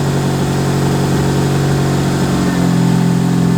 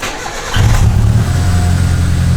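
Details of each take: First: Old turbo Mitsubishi Lancer after full build, idling with a steady smooth hum and no exhaust puffing or ticking, rising slightly near the end; much quieter than before. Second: Old turbo Mitsubishi Lancer started after full build, checking for leaks: no exhaust leak now, but deep lumpy idle still misfiring badly before spark plugs are replaced with NGK BKR7Es.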